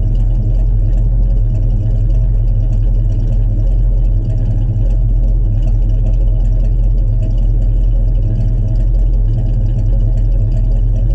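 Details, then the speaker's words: 1967 Chevrolet C10 stepside pickup, fresh cold start, not run that day: deep, even low rumble holding steady at idle with no knocks, misses or ticks; healthy cold idle. "this is going to be a cold start we haven't started it today at all so this will be fresh cold start we'll hear what it sounds like and be right back"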